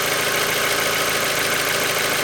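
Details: Mazda Miata, 76,000 miles, Mobil 1 5W-30 under 2k miles old, oil near full, ticking more noticeable after valve cover gasket change: light fast metallic tick at idle; possible lifter tick, unconfirmed.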